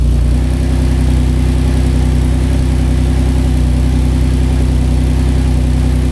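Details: Maserati 4.24V 2.0 V6 Biturbo under restoration, after muffler repaired and some rock wool removed: steady even V6 idle with smooth low rumble, no exhaust ticking or puffing; leak gone, healthy idle.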